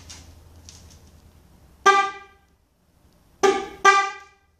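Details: Kadett 98 horn test with one of two horns removed: three short, loud blasts with a clean, steady tone; the remaining horn sounds normal and the other horn is the faulty one.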